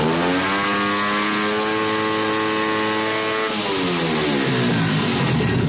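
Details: 88cc Chinese small engine held at wide-open throttle with no rev limiter: screaming high revs flatten and waver near the top, then pitch drops as it won't rev cleanly; valve float.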